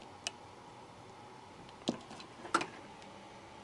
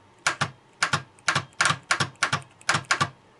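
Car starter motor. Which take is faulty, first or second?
second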